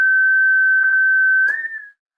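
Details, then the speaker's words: Home-built 40-meter QRP CW Pixie kit transceiver emitting an unwanted pure, steady tone on another frequency while transmitting, instead of only the keyed code; cause not yet found. "So it turns out it's constantly also generating a solid tone on another frequency. That's not how it's supposed to work."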